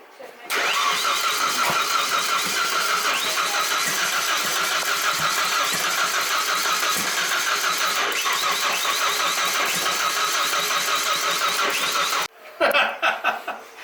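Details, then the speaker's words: Drift truck with LS coil packs, timing being set to 10 degrees, tune changed; about twelve seconds of fast steady cranking with no catch. Distributor later suspected 180 degrees out. Cranks but does not start. "anyways it went boom boom that's good it sounded like it wanted to run"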